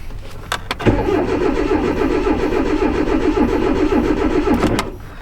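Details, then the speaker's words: 2010 Hyundai Accent came back as a no-start after starter and front O2 sensor replacement. The scan shows it is not in clear-flood mode, fuel trims are good and coolant reads 20°. It cranks evenly at about four pulses a second and never catches, and no longer sounds flooded. "Yeah, it doesn't sound like it's flooded now where before it sounded like it was flooded."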